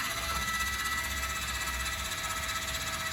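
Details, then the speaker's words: 2024 Forest River Chaparral 254RLS trailer, landing gear/stabilizer feet extending: steady electric motor whine, even pitch, no grinding or clunks, winding up when down; landing gear motor running normally. "as soon as you hear them wind up like so you can let off the button they are just to stabilize the unit"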